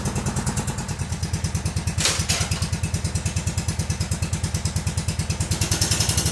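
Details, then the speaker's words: Kohler Command CH16S engine in a Cub Cadet 2166, first cold start after reinstall and reseal/electrical/starter refresh: steady even thumping idle, no knocks or misses; runs good, about to warm up. "all right it runs good let's take it outside and let it warm"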